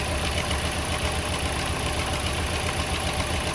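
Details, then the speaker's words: Toyota Corolla warm petrol engine idles with an uneven stumbling low thump and heavy shaking, with check-engine light on, weak power, surging and high fuel use; rough idle from cylinder misfire. "e dá para ouvir também o barulho do motor trabalhando fazendo tipo pó pó pó pó pó pó pó pó pó pó damos uns Tourinhos né Trabalhando errado"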